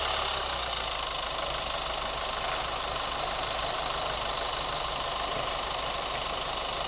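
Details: New Chevy Colorado at steady idle: light fairly quick top-end ticking about two per second; cause unknown.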